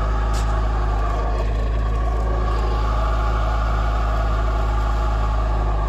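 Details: VAZ 2108/2109: a constant hum with a steady mid-pitched whine over idle, unchanging; clutch release bearing suspected, unconfirmed.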